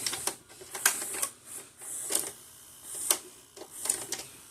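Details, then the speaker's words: Magnavox DVD/VCR combo after the VCR repair: crisp clicks and short whirring bursts as the cassette is pulled in, threaded and starts to play, with no grinding. Normal tape loading and playback start. "Put this in. Grabs it in. And it starts to play."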